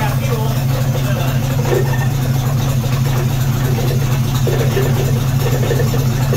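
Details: 1976 AMC Gremlin, stored 36 years, started after disc brake work with the carburetor bowls filled and a jump pack attached. Low, heavy idle with uneven metallic tapping about twice a second that "sounds terrible"; the knock's source is unknown.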